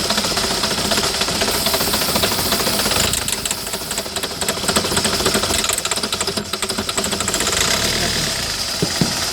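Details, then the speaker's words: 2008 Citroën Nemo diesel van has caught but runs rough and shaking, a harsh uneven clatter about four beats a second with a rattly top end; fuel filter working, too much fluid in the system, normal once dry. "Still starting, and then it gets normal. So we know that the fuel filter is working. It's just too much fluid that's going into the system. Once the fluid is dry, then it will be back to normal."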